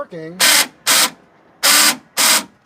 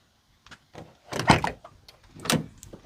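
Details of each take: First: Chevrolet Astro van, passenger-side door lock actuator newly replaced: four short, sharp electric buzzes as the lock cycles. The lock works, but there is a loud relay-like noise from up inside the door. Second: Chevrolet Astro van, shifting into park: two short buzzing clunks about a second apart from the faulty passenger-side door lock actuator.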